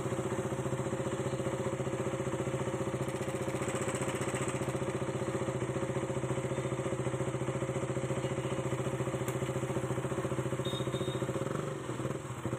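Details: KTM Duke 200cc single-cylinder, timing chain noise problem solved: steady, even idle around three to four pulses a second with no chain rattle or tapping over it; normal idle.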